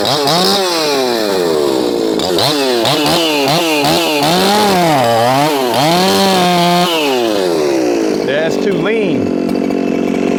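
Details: Shindaiwa 492 chainsaw with Brisco-built Echo 4910 piston and cylinder and a modified carburetor: revs up and falls back in sharp bursts, thin screaming top end hanging high; tune too lean.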